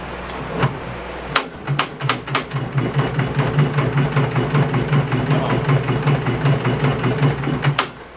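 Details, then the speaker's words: 1970s Wisconsin inline two-cylinder generator, abandoned for years, first start attempt: loud, uneven thudding firing with sharp irregular knocks that settles briefly, then falters and dies; rough running and stalling, points possibly suspected but cause unconfirmed. "Might have felt the points maybe. Yeah, let me check. No, we got smart. Why you don't run?"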